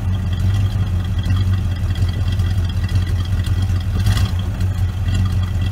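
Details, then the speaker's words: 1970 Oldsmobile Vista Cruiser 455 V8, first start, cold on a snowy Wisconsin day, not yet tuned: deep, even V8 burble at a steady idle with no ticks or knocks; sounds good, normal idle. "Not tuned, and it's cold. It's a cold, snowy day in Wisconsin. Sounds good though."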